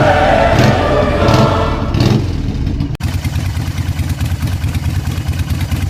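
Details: 2003 Harley Sportster 1200C V-twin after ignition module replacement, in neutral: fires up with a few blips, then settles into a steady loping idle with no popping or backfire; running normally.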